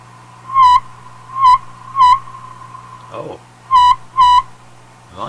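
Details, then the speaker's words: Marconi 201A AM/shortwave radio, weak on shortwave, around 18 MHz at full volume after a capacitor swap: short hollow whistling tone bursts over a low hum; internal ringing oscillation, possibly regeneration, affected by volume and tuning controls. "that's got to be some internal thing I think in the radio you can hear that Hollow ringing sound again"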